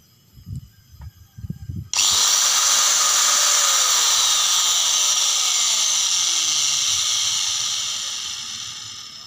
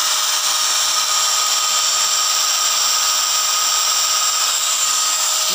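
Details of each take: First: Angle grinder making a crackling noise at switch-on: a few handling knocks, then a high whine with rough crackly edge; carbon brushes found nearly worn out. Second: Small angle grinder that crackled from an armature fault, after scraping the armature with a tool made from a bicycle spoke: steady high whine and hiss, no crackle, running normally.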